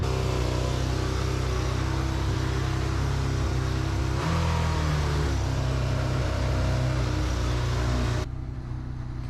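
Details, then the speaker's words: Old Yamaha XJ600 motorcycle on first test ride after running out of gas and refuelling: fast steady drone well above normal tickover with no throttle input, idle not set right, too high. "probably hear it revving to the moon back and that's because i don't have the idol set right why because it's an old bad bike"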